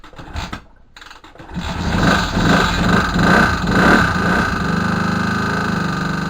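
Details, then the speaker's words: Moto Morini 250 2C twin being rebuilt, idling roughly: uneven clattering rattle at about two beats a second from the engine; cause not yet found, and the kickstarter mechanism was not disengaging. "all right so you can hear lots of racks right now I should have investigated again"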